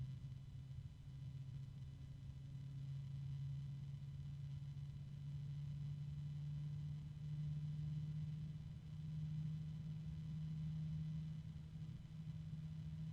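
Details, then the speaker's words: PWM five-blade daisy-chainable case fan with low starting voltage: quiet low-pitched hum rising in pitch as it spins up, with a faint harmonic resonance and nothing rough; normal, fairly quiet fan running. "can't really hear it pretty quiet so far I mean I I hear the noise now but kind of a low pitch going up oh there's a harmonic there resonance"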